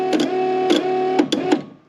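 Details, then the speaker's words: Toyota Supra fuel pump after removing an extra earth wire that kept the relay latched: even buzzing hum with a few clicks for about 1.5 seconds, then it winds down and turns off as intended. Normal operation after the fix. "and turns off perfect exactly how i wanted it"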